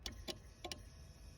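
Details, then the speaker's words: Citroën Xantia Activa V6 ES9J4 194 hp with no-start (fuel pump runs only when wired direct), simulating ECU ground return: crisp fuel pump relay clicks, rail pressure present; owner suspects a tired connector or ECU not sending the signal. "non seulement il claque, mais j'ai la pression dans la ramp d'injection."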